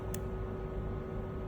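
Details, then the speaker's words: Normal fuel injector switching on and off: a single crisp click at each off, over a steady low hum; a faulty injector gives two clicks at off. "Okey, ini contoh injector yang function dia. Okey, dengar bunyi dia on, off, on, off, on,"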